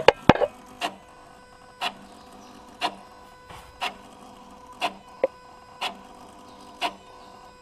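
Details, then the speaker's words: Motorized throttle body on a car, engine off, ignition on, actuated remotely by diagnostic tool: sharp clicks about once a second as the plate snaps through its travel, quiet between; actuator working normally. "je veux actionner le boîtier papillon motorisé d'accord il faut mettre le contact véhicule à l'arrêt moteur à l'arrêt"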